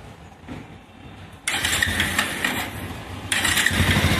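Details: Motorcycle at idle after a bolt was tightened: even, steady idle with the head noise gone and only a slight remaining sound; it should vanish once the tensioner is replaced.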